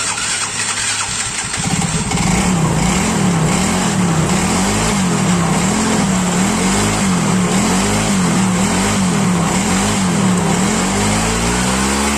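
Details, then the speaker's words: Yamaha Mio Soul GT scooter, unused for several days and not starting even after a new spark plug, cranks laboriously about two seconds, then catches and settles into a steady, slightly wavering idle; the fault was the spark plug. "Oke, bisa teman-teman lihat motornya itu sudah hidup lagi. Dan ternyata kendalanya cuma pada bagian busi."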